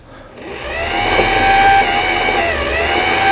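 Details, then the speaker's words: Janome Harmony 2041 sewing machine sold by Lion, about 20 years old, after repair of a mistimed lower-shaft gear and shuttle race unit; winding a bobbin with the pulley pulled out so the needle stays still. Smooth, steady motor hum: normal winding. "폴리를 잡아 당겨주면 바늘은 움직이지 않고 실만 감게 됩니다."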